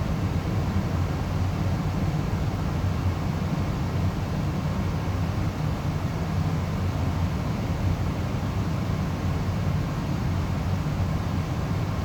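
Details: Amana 95 IIQ two-stage variable-speed gas furnace after burner shutdown: steady even low whoosh of moving air, no rattles, as the blower runs on cooling the heat exchanger and slowly, smoothly turns off; normal run-on.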